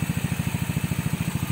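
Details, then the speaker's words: Yamaha Mio after repair for overheating and knock (new connecting rod, side bearing and block, head reset, full-wave charging): steady, even low putter at idle with no clatter; now quiet, unlike the typewriter-like racket on arrival. "Nakatahimik makina, no? Tahimik. Tahimik na makina. Hindi nakatulad nung dumating ka na parang makinilya. Helicopter."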